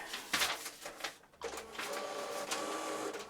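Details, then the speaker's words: Epson EcoTank ET-16600 A3 automatic document feeder: sharp, irregular clicks and snaps over the motor whir; a damaged drive gear. "but the document feeder has a fault on it, and basically it makes a grinding noise and it struggles to take the sheet through."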